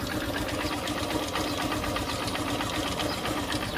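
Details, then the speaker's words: Honda CB Shine 125 (2023) running sluggish with poor pickup: light, quick ticking about four per second from the top end, tappet-like, over the engine note; owner unsure whether tappet or engine noise, awaiting mechanic. "और अंदर से, ऊपर की तरफ से, tappets जैसी हल्की सी आवाज आ रही है। इस समय यह काफी शोर मचा रहा है;"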